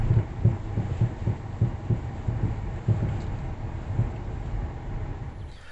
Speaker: now once under the vehicle checking for playing the sway bar I found that the lower ball socket on the sway bar end link had play in it